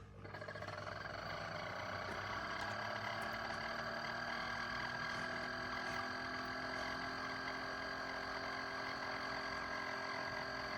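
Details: Chefman single-serve K-Cup/ground coffee maker brewing; after brief start-up a steady buzzing drone with high ringing edge, unusual pump noise, cause unknown.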